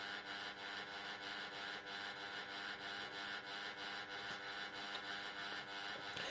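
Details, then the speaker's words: Old Jundes synchronous clock motor, plugged in before disassembly: quiet uneven buzzing hum with irregular clicky gear rattle, runs rough; to be cleaned, oiled and greased. "So now it wants to go. But as you can hear, that doesn't run good."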